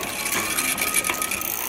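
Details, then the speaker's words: Bicycle front derailleur shifting up to the next chainring while pedalling: chain whirrs evenly, then a single quick click onto the ring with no grinding or rattle; the shift is working well, normal. "On this particular bike, this thing is shifting pretty well."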